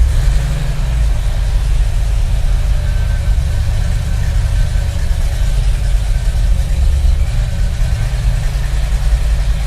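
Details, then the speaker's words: Hemi-powered F100 bumpside after Tremec TKX 5-speed conversion and rewiring with starter and ignition relays for MSD distributor and coil: deep steady V8 burble with even rhythm, no knocks or misses. Normal idle. "So yeah, it starts great now. It's running nice, and yeah."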